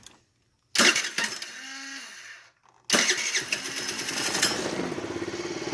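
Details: Scooter that earlier only clicked and would not start from an electrical fault, now fixed: a quick starter whir, a pause, then a second crank that catches cleanly and settles into a steady idle; normal start.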